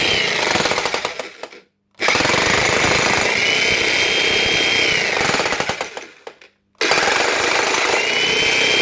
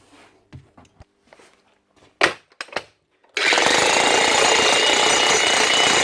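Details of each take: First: Logan cheap electric breaker hammer: rapid hammering runs a few seconds then fades and cuts out, restarting; hammer action drops out, suspected worn O-ring seals losing compression or lack of oil, grease still present. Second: Logan Tools (Titan-type) electric breaker after repair, relubricated with liquid grease following dropout from dry inside and worn O-rings: fast, even hammering at a steady rate with no stumbles; normal hammering.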